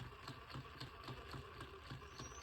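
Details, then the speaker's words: Injora Chilow RC crawler, both driveshafts loosened; faint regular light click, about three a second, over motor whir; owner suspects transmission, cause not confirmed; drivetrain clicking. "Yep, we still got the clicking noise. So now I'm gonna take the back drive shaft off, and then we'll try it again. It sounds like that clicking noise is coming from up in here. Maybe the transmission."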